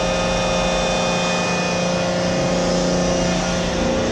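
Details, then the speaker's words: CompAir Hydrovane 707 rotary screw compressor, 460 V 3-phase, just over 28,000 hours, discharging to atmosphere through hose: steady motor-and-screw drone with rushing air while building pressure; running smoothly and healthy. "Go ahead and power it up. You see it building pressure from the top of the screw."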